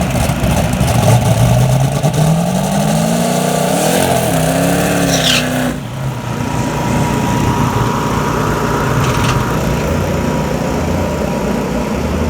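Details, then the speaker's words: Budget turbo race car doing burnout: engine revs hard, struggles, then suddenly chokes off near six seconds and runs on rough and rattly; dropped valve. "I don't know what exactly happened but we went to do to burn out its cut this car kind of started struggling a little bit on the burn out"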